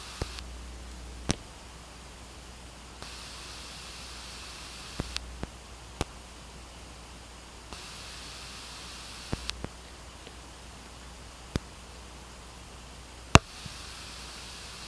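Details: New Pioneer GM-D9601/GM-D8604 class-D car amplifiers, gains set to normal: steady hiss that comes and goes with sharp pops at each switch-on and switch-off; loud hiss, cause not yet known.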